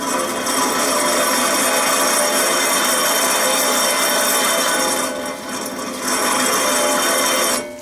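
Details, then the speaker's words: 2009 Dodge Journey SXT 2WD, 3.5L V6: second rear hub turned by hand gives continuous rough, gritty grinding, less stiff than the first side but still very rough; worn rear wheel bearing, replaced along with the other side. "yeah that doesn't sound too good it's not as bad as the other side it would was hard to even turn but this is really rough as well"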